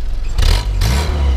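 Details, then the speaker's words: 1952 Willys Overland CJ3A, all-original survivor, heard at the exhaust: short clean rev rising and settling with a deep even four-cylinder note, no misses or knocks, no smoke, drives great; normal engine rev. "you know it doesn't blow smoke sounds real real nice so hopefully that gives you a good idea of the uh the engine and in general and it does Drive Great"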